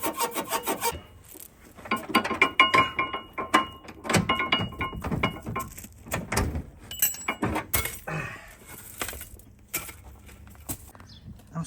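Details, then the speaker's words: 2007 Ford Territory AWD with 165,000 km: irregular rubbing, rasping squeaks from the front suspension, traced to worn front radius arm bushes. "Is your Ford territory making this noise? Check your front radius arms."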